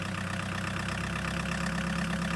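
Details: Chevy S10 pickup swapped to a 1.6L VW diesel, first start after glowing plugs: steady, even diesel clatter at idle with a smooth low drone, no misses or knocks; normal diesel idle.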